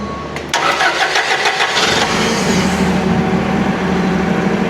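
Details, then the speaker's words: Toyota LPG forklift that would not start: after replacing the damaged wiring harness feeding the gas solenoid valve, which had no power and so never opened the gas flow, it cranks briefly, catches cleanly and settles into an even idle. "La falla era nada más el cableado que alimenta la electroválvula."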